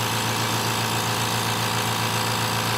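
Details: Air compressor run for comparison. Steady, even motor hum with a low tone and airy whir, no knocking or rattle; the compressor is running normally.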